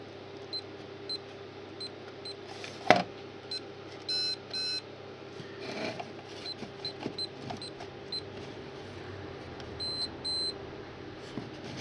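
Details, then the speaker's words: Cheap mini security keypad alarm with batteries fitted: thin, high-pitched beeps on each key press, barely above the quiet room; the keypad sounder is weak and faint. "so hopefully when you press one of these keys we should get a little beep yeah faint beep"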